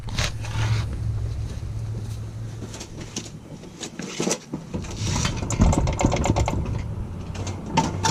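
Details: 1986 Nissan 720 pickup fitted with a Doug Thorley tri-tube header, no pipe yet, driven slowly to the exhaust shop: very loud, raw, crackling open-header bark with sharp blips on the throttle.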